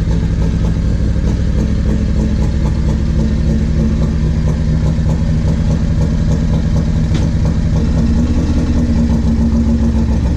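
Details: 1994 Harley-Davidson Road King FLHR, 80-inch Evo, CV40 carb, Screamin Eagle 2:1 exhaust, before carb fix: uneven lope with stumble, hesitation and misfire on light throttle; carburetor fault, fixed afterward.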